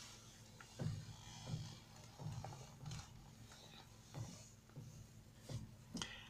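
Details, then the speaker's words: Kia Sportage, heard from inside while turning the steering wheel: slow irregular clicks and knocks about every half second to second toward lock; front suspension clicking, owner suspects strut top mount bearing, not confirmed. "şimdi direksiyonu çeviriyorum ve dikkatli dinleyin bir Tıkırtı sesi gelecek çeviriyoruz direksiyonu döndüm bir ses geliyor dikkat ederseniz"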